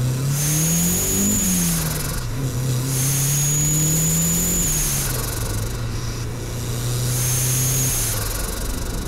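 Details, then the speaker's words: Budget turbo Mazda Miata with eBay HKS-copy blow-off valve disconnected, full-throttle pulls: turbo whistle builds, then rapid fluttering chatter on lift-off, with leaking boost whoosh and reduced boost. Turbo compressor surge without BOV. "of course though no matter what i did with this test you could hear that turbo surging like crazy"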